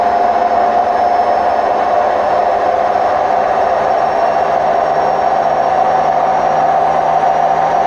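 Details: Hotpoint WMF760 washing machine on spin program: loud, steady roaring rush with droning tone throughout the spin; worn drum bearings.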